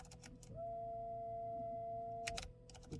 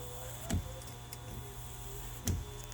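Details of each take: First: 2006 Buick Enclave CXL 3.6L, key on engine off, front wipers inoperative: motor whirs with clean steady tone, no labouring or linkage clunks; wiper transmission linkage detached from motor, spinning free. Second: 2008 Buick Enclave CXL 3.6L LY7 AWD front wipers, after re-aligning the wiper transmission arm on the motor in park position and replacing clips: quiet motor whir with a soft thunk at each end of the sweep; cycling and parking normally.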